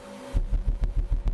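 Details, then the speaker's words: Skar Audio ZVX-8-D2 8-inch subwoofer on Taramps HD3000 amp, about 523 W at 3.8 ohms on dyno; deep bass thumps with sharp pops on hardest hits as voice coil bottoms on back plate at its excursion limit. "It's just under that popping right now, and that popping means that the the voice coil is hitting the back plate, or the subwoofer is extending to its limit on the voice coil."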